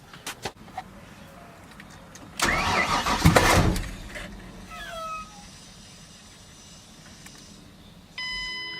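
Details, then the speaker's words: 2007 Ford Mustang 4.0L V6, freshly rebuilt engine, new fuel pump: short burst of cranking never catches, then quiet; crank no start, owner suspects fuel problem. "we try to start it it cranks over but then it starts like well let me just show you guys"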